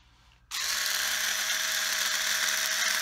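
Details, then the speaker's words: Black & Decker LI2000 cheap lithium cordless screwdriver running: harsh buzzing high whir at steady speed with raspy edge; noisy gearbox, cause unknown, owner plans to open it and grease it. "really sounds like crap but I think this would be good just for use it for delusive strings and stuff"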